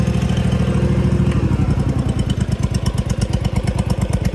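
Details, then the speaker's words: John Deere GT245 mower, needing tune-up with sticking starter solenoid: low lumpy chuffing continuing unevenly after shutoff; engine run-on (dieseling), owner suspects very rich mixture, earlier feared blown head gasket. "dieseling again which is never good and uh just break this it uh was doing that the other day which I thought was a blown head gasket but then it stopped so I think it was just running hyper rich"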